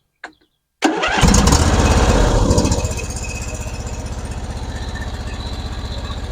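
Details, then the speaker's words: John Deere LA-series (LA150) mower, formerly hard to start, after a cold valve adjustment: brief crank, fires straight away, revs up then settles into a steady, even idle; starts easily now. "you see how fast that engine spins over"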